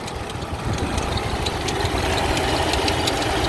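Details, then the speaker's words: 2004 Toyota 4Runner at idle, under the hood: a faint irregular chirpy rubbing or pulling noise over a steady idle. AC pulley or tensioner suspected; it was louder when cold and eased once warmed up. "there's a little bit of pulling noise under here just want you to hear it sounds like a maybe the ac pulley not quite sure"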